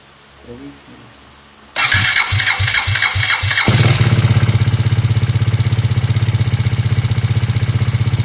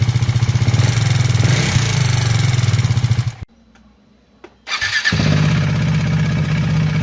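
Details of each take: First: KTM Duke 390 V2 after a repair: fires and idles with a loud, rapid metallic clicking/rattle, louder on the left and rising with revs; low oil pressure because gasket maker blocked the head oil passage feeding the camshaft spray nozzles. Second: KTM Duke 390 V2 after repair, camshafts (intake and exhaust) and two rocker arms replaced, valve clearances in spec (previous fault: gasket maker blocking head oil passage, low oil pressure); steady single-cylinder idle with light even ticking, normal for KTM: normal idle.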